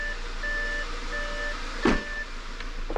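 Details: Audi A6 C7 after engine and gearbox repair work, errors cleared and oil level fine: a low, steady idle under dash chimes with no knocks, misses or rattles. The engine sounds healthy.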